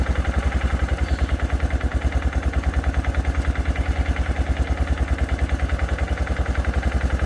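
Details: 2006 Arctic Cat 400 4x4 quad, just started with a shot of brake parts cleaner after cranking without firing: even, steady thumping single-cylinder idle, no misses or knocks; owner suspects something dirty had stopped it pulling fuel.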